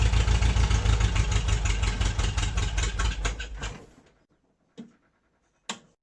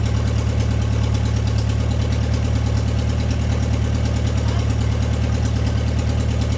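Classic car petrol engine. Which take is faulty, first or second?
first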